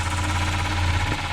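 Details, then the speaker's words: 1993 Volvo 940 B230F after a timing belt and tensioner change, water pump reseal and new plastic covers on a badly damaged rear cover. Steady drone with faint rhythmic scuffing: the belt is rubbing the bent cover, and the noise stops when the cover is pulled on. "what the heck is sounds like the belt's rubbing on the cover because everything's all tweaked up under there"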